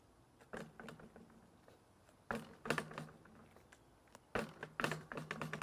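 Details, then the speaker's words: SRAM AXS GX rear derailleur on a hardtail, chain off, drop test: three sharp metallic clatter bursts as the loose derailleur body's B-tension screw slaps metal-to-metal on the hanger, not the clutch. "your tension screw or B screw whatever you want to call it that's what's hitting it that's what's causing"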